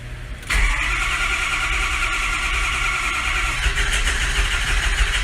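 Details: 2006 Ford F550 Lariat crew cab 4WD with 6.0 PowerStroke, crankshaft codes stored, a bad FICM suspected: starter kicks in and the engine cranks steadily, good but slow, for five seconds without catching; compression sounds good, crank no-start.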